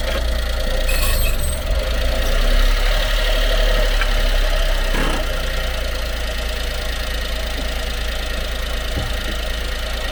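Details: Honda Acty truck HA9 SDX 4WD 5MT, 218,000 km: when changing from forward to reverse, dull single clunks from underneath as drive takes up over a low engine drone; worn propshaft universal joint bearing, under 1 mm play; propshaft assembly replaced.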